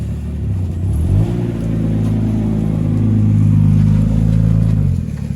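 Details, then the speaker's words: Holden VL with swapped RB30 turbo six, automatic with manual valve body, big exhaust, no bonnet, first drive: loud turbo six pulls through the revs but the note stutters and turns ragged under load, misfiring and breaking up under load. "Sounds very naughty. Definitely breaking up though."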